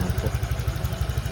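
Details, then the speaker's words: Honda Click 125 scooter after new block set install, cold engine warming up at low RPM to bleed the cooling system; steady, even low putter with no knocks or rattles, quiet and healthy normal idle. "So medyo mababa pa yung RPM at malamig pa yung makina, pinapainit pa natin. Tahimik naman"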